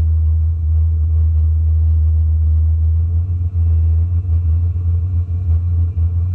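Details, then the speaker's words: Chinese diesel air heater run as a waste-oil burner with preheater: low steady roar with uneven surges continues after shutdown, because fuel at about 82°C keeps feeding though the pump stopped long ago; run-on burning. "You can hear it still burning even though it shut off. pretty obviously. And again, that's because it's still feeding fuel even though the pump is shut off a long time"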